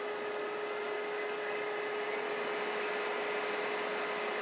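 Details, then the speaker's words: AC induction motor driven by a DIY kit inverter, encoder working, throttle via foot pedal, at maximum rpm; steady, even run with a constant whine and faint high whistle, no knocks, normal running at full speed. "right now it's going maximum rpm so I can change change the loves change change the speed it"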